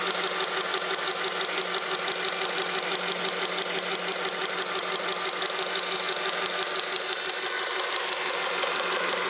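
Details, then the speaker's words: Honda Accord 7th generation, engine running, under the hood: sharp, even tapping about twice a second over the engine. The knock was traced to the power steering pump. "во время работы двигателя образовался какой-то подозрительный стук непонятно откуда идет"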